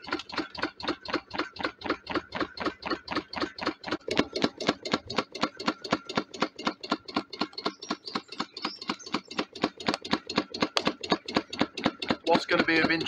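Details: Wood-fired DIY Stirling engine generator Mk4 on a rocket stove, running very slowly after three quarters of an hour as the fire runs out: slow, steady clonk about four times a second on every stroke, from a bolt left loose on one side.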